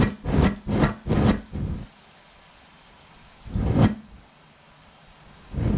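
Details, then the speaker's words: Homemade Frosty T gas burner replacing a pulsating eBay furnace burner (furnace couldn't melt copper): uneven whooshing surges, quick pulses and lone bursts as the flame keeps hunting even with the air almost fully blocked off; pipe thought too long. "sweet i had to keep blocking the air off almost almost all the way blocked off and it kept on doing that hunting"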